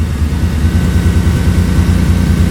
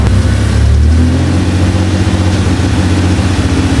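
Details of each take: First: Toyota truck with swapped 3.4L engine after new plugs and wires, warming up, some exhaust leak noise; deep idle with a faint occasional stumble, misfire traced to cheap aftermarket coils, owner first suspected a wet-plug injector on one bank. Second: Toyota truck with a swapped 3.4L engine, after replacing cheap aftermarket ignition coils with OEM ones: revs up and settles back cleanly with no stumble or misfire, though a large exhaust leak adds loud puffing. Misfire fixed.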